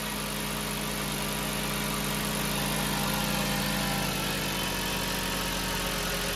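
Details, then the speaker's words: 2007 VW New Beetle 2.5 cold start after replacing the whistling PCV diaphragm (Dorman 617-064): starts at a high idle, then settles to an even, steady regular idle with no whistle or loping; normal idle after the repair. "so this is a cold start it starts off in a bit of a high idle and then it'll come down to a regular idle"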